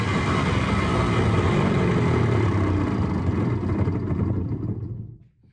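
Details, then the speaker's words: Rebuilt hardwood floor edge sander, reassembled with brushes, bench-tested hotwired: even motor run with steady loud whirring gear noise from less-uniform gear, no groaning (previously groaned with loose bearings), smooth spin-down at switch-off. "It's a little louder than I would like. Uh, but it runs a whole lot smoother."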